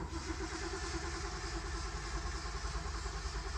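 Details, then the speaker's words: 1965 Chevrolet Corvair Monza 110 with 4-speed manual, mostly original, started on choke: catches and settles into a steady, even low rumble with no knocks or misses; healthy cold start. "Come on, baby. There we go. Started right up. She sounds good."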